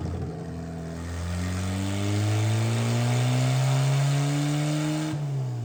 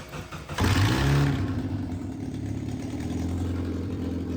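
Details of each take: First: Miata engine with 2 degrees timing pulled revs hard through repeated pulls under load, then abrupt cutout and sharp crack; a cylinder detonated, dipstick popped up, porcelain seen. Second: Miata engine after lathe-repaired pulley: cranks, catches cleanly and settles into a steady, even idle with no knocks or whine; normal start and idle before the session.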